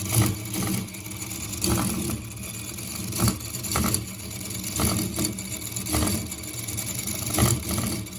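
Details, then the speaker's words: Engine running continuously since 6 a.m., at about 22:55: it still runs but with a lumpy, limping beat that surges roughly every second. The owner attributes this to the gear, not the piston. Uneven running. "mesinnya masih nyala cuman suaranya udah pincang-pincang cuy. Tapi ini permasalahannya dari gearnya, bukan dari pistonnya."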